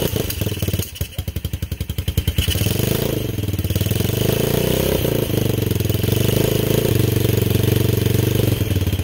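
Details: Beginner-bike engine on a reverse trike build, not started in 10 years and fed from an old gas tank: uneven spitting firing, then a rough low pulse that won't settle; a kickstand safety switch is cutting the ignition.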